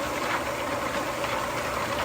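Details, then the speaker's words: Homemade rock tumbler after rebuild with new bearings, previously noisy after months of nonstop running: smooth, even hum with a soft steady tone, no rumble or squeal, rocks tumbling now audible; running normally. "I can tell you I'm very happy because now I can actually hear the sound of the Rocks tumbling and then I can hear the sound of this vibratory tumbler right here couldn't hear any of that before so I'm very pleased with the results those new bearings made a big difference"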